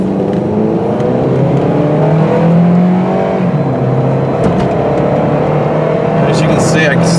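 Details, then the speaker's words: 2005 Pontiac Sunfire two-door coupe, automatic, no warning lights, on a test drive under firm but not full throttle up to 55 mph: engine note climbs steadily, dips cleanly at each shift and pulls again without flare or slip; normal smooth shifting. "stepped on the gas not all the way but pretty good and it got us right up to 55 miles an hour I'm sure you could see it shifted nice and smooth up through the gears"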